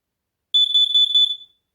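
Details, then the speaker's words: CO and explosive gas combination alarm, not tested for a while, giving its test sound: one loud, piercing high beep of about a second with a slight pulsing warble; sounder working normally. "Alright, this next one is a CO alarm and an explosive gas alarm. It is really loud, promise you."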